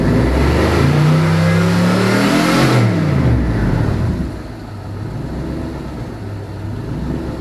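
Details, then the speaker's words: All-aluminum 5.3L L33 HO Gen 3 LS V8 on a test stand after a lifter replacement, warming to about 150 degrees: clean rev that falls back to a calm, even idle with no ticking; normal rev and idle. "those lifters did the trick you can actually hear the injectors firing over the lifters"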